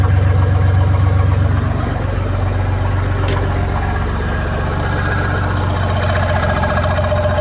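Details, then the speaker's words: Chevy 4.3L V6 swapped into 1964 Willys Jeep CJ5, timing set about 4 degrees BTDC: steady, even low idle about four beats a second, no misses or knocks; runs much better, normal idle. "But I'll fire it up. You can see how much better it runs. You can see the oil pressure and everything, too."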